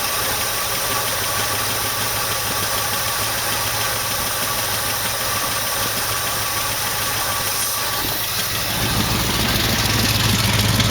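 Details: 1968 AMX with a 401 V8 from a 1972 (Go Pack), first start after carb work: a rough idle with fast, regular light ticking of about three per second. A hydraulic lifter was later found worn through, with a hole in its bottom.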